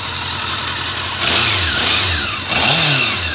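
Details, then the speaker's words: Honda CB400 Four, warm after a long ride: uneven, lumpy exhaust as revs rise and fall, firing on only three cylinders; owner suspects stuck float bowl needle blocking one carb. "what a bugger something's blocking it something's wrong and that's our brother anyway as you can hear it's only firing on three"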